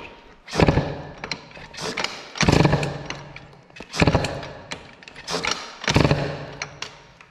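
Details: Peugeot 103 moped, air-cooled Stage6 MK2, testing MVT DD CDI: slow uneven firing bursts about every two seconds, each dying away; hard starting, owner suspects insufficient ignition advance and plans to add some.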